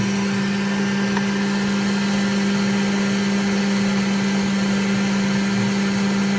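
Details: Brand new Centauri 3D printer model fan: constant whirring hum with steady tone and rough undertone; bad fan bearing noise.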